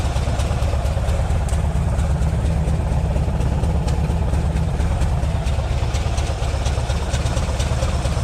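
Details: Green Porsche 914 with a newly installed 2-liter motor: low, even burble holding steady with no knocking or stumbling. Idle a bit low and may need raising; could be idle or timing.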